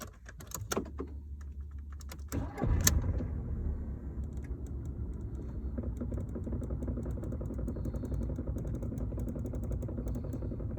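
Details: 2002 Audi A2 1.4 petrol, 98,000 km, regularly serviced: after keys jingle and the engine starts, a fast, uneven metallic rattle from the mid car floor rides over the idle; cause unknown.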